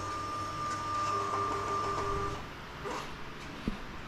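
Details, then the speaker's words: Kawasaki Vulcan 900 after fuel pump reinstalled and blocked tank breather check valve addressed for no-start: key-on steady high hum about two seconds, then clean stop; normal pump priming, FI light goes out. "You hear the fuel pump priming. FI light goes out, oil light stays on until it's running."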